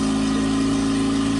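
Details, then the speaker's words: Brand-new outboard on a 2020 Triton 216 Fishunter, cold start without holding the choke: steady, even hum at fast idle while warming up until it runs crisp; healthy. "I want to get it going with some fast idle. Tap it one more time and accelerate it. I'm going to get it going up to a speed where it feels like it's running, sounds like it's running nice and crisp."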